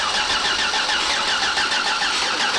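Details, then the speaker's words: 6.8 LS3 stroker V8 in a '55 Chevy pickup, first start attempt with injectors unplugged to check oil pressure and spark: even, brisk starter cranking, engine spins freely and never catches; no spark found, tune suspected. "injectors are unplugged so we don't dump fuel in there and crank it over we got a little bit of oil pressure just want to make sure we got Spark"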